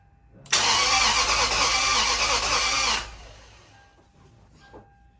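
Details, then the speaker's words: 2004 Lexus GX470, first start after full teardown and retiming, no coolant yet, uneven compression readings; catches and runs about two seconds with a ragged, uneven roar, then shut off; sounded a little funny, smoking, owner suspects old oil burning off; rough running. "But she did start. She sounded a little funny."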